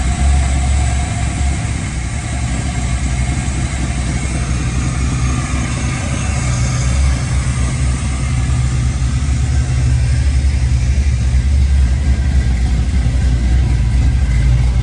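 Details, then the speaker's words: 1965 Chevy Nova V8 with new cam, non-boosted, first start-up after rebuild: deep loud idle with a steady choppy cam lope, no knocks or ticks; sounds healthy. Normal cammed idle. "Yeah, this thing, so glad we put that cam in there. It sounds pretty damn good."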